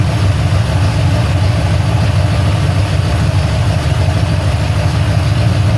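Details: Ford Falcon XC GXL's restored 351 V8, warm with thermostat open, while idle is adjusted: a deep, even burble at a slightly fast idle with no misses, knocks or ticks. Normal idle.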